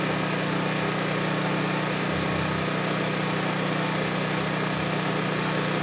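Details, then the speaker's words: Honda EB3500 generator at about 60–62 Hz, engine just above 3600 rpm (about 3650–3660) unloaded, dropping to about 60 Hz under load: steady, even drone at constant pitch, no surging or knocks; governing cleanly. "as predicted when we first turned it on it was at like 60 62 hertz something like that and the engine rpm was a little bit above 3600"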